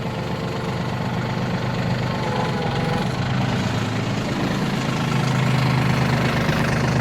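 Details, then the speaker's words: Yanmar RS30 30 hp Japanese diesel mini tractor, battery slightly weak: steady, even idle with a low smooth beat barely changing as the hydraulics raise and lower the tiller; no excess exhaust or smoke, healthy. "Двигатель, как слышите, работает ровно. Без лишнего выхлопа, дыма и так далее."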